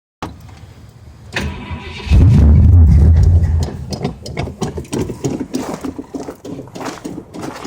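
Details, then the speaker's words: 1967 Ford LTD cold start in the morning: short grinding crank, then a loud catch stumbling into uneven, lumpy firing as it struggles to stay running; owner says it needs lots of fuel to start cold. Hard cold start. "remember this thing it takes about a quarter of a gallon just to start it sometimes i mean when you're warming it up like in the morning it'll take when it's just idling it'll take a lot of gas bro"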